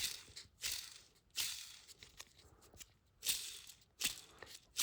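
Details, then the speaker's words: Hand-spun clutch release bearing from a K24 with a hard-shift/grind problem gives a dry, gritty rattle; it spins too easily, shows orange metal-on-metal wear, and has cut into the pressure plate; bearing destroyed. "it should not be this easy to spin by hand first off second off you should not be able to hear it so that bearing is destroyed"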